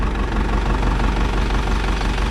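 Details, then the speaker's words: Isuzu NPR diesel truck that sat for years, first start after a new fuel filter, priming, bleeding and fixing a fuel leak: fires right up to a deep, even rumble with no misses, knocks or hunting and no warning lights; healthy idle. "Actually sounds good. Look at our gauges here. I don't see any warning lights. She's running, guys."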